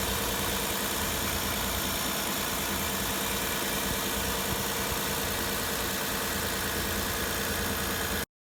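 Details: Hyundai Santa Fe 2.7 after valve clearance adjustment (clearances were excessive, causing knocking and ticking; reset to 0.20 mm intake, 0.33 mm exhaust): steady even idle with only a light regular valvetrain tick and no heavy knock; normal.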